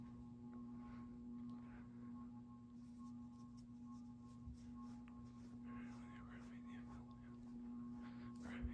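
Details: Craftmade CXL ceiling fan run from a dimmer-type speed control: strong, steady low buzzing hum under a faint whoosh when turned down to low speed; the dimmer control causes the loud motor hum.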